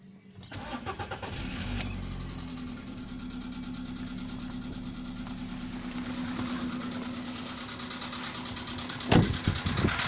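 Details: VW Polo Sedan, CFNA petrol engine, 105,000 km, before decarbonizing: cold start at 20°C after ~15 hours parked; starter whirs, engine catches, then light quick tapping over cold idle; piston knock that fades within a minute as it warms.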